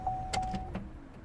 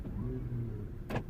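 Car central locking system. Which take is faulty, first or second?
first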